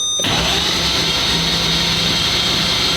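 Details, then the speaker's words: Lamborghini naturally aspirated 6.5-liter V12 after an oil change, cranked without firing to build oil pressure: a fast, even churning starter rhythm with no catches; oil pressure starts to rise, normal cranking. "So I'm watching the oil pressure gauge here, and I want to crank it until I see oil pressure, and I'll probably crank it a little more to circulate the oil."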